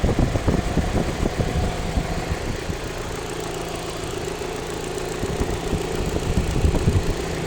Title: Alfa Romeo 156 1.6TS ticking sound in the upper engine bay